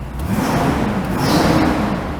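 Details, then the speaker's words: 1974 or 1975 Pontiac Grand Ville V8 with a timing issue, running rich at start: revs up and settles back smoothly over a steady rumble, no hesitation; acceleration fine, timing thought too far advanced. "and it seems like the acceleration is pretty on point. I think it's just too far advanced for the most part from when I first heard it."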